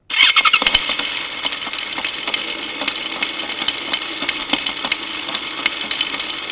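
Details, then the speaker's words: Motorcycle drive chain heard through a homemade electronic stethoscope microphone, wheel spinning before lubing: dry, gritty rattle with sharp irregular snaps over steady hiss. Owner suspects wrong chain tension, dirt causing grabbing and jumping, or a worn front sprocket. "okay it's possible my Chain's not at the right tension it's possible that it's a little dirty and it's grabbing and jumping it's even possible that my sprocket on the front needs replacing"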